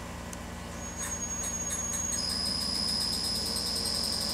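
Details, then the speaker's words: Hitachi L200 VFD driving an early-1950s Westinghouse 3 hp 3-phase motor on a Pratt & Whitney Model C lathe: piercing steady high whistle over soft hum, pitch jumping higher as carrier frequency is raised to setting four; carrier frequency whine. "bump it up to four we'll store that try that speed and you can hear it's going up a little bit in frequency but it's still rather"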